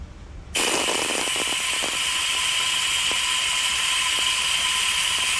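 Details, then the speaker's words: 406 Chevy cylinder heads after valve job, hand-pump vacuum test reading about 19: steady hiss with thin high tone and scattered pump clicks; vacuum holds with no leak-down, valve seals good. "We vacuum test all of our work. We don't assume. We don't assume anything. We know it's going to work."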